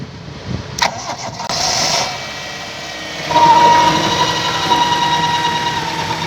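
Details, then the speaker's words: 1998 Toyota Indus Corolla just after start: engine settles with a thin steady ringing above its run, an extra noise; owner suspects belt, alternator, water pump or power steering pump, PCV valve also mentioned; not confirmed. "दोस्तों यह इसके अंदर sound एक आ रहा है आप लोगों को भी सुनाई दे रहा होगा एक्स्ट्रा आवाज है इंजन के अलावा"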